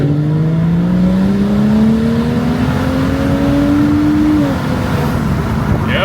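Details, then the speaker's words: BMW F30 335i with swapped N55 turbo engine (EWG/PWG), road test after install: engine note climbs smoothly through a long pull under load, no stumbles or flutter; car drove great and built boost. "She's definitely pulling. Alright, so as you guys saw, everything went smoothly. Car drove great, built boost, did everything it needed to do."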